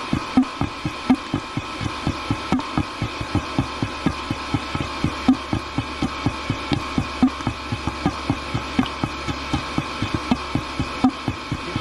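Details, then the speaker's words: Diesel heater run on diesel mixed with filtered used engine oil, heard at shutdown: irregular wet glugging pulses about eighty a minute over a steady fan hum. Fuel was found in the air inlet; owner suspects flooded combustion chamber, or condensation. "sounds like liquid in there maybe the combustion chain is flooded I don't know if you can FL these things or not would have thought so"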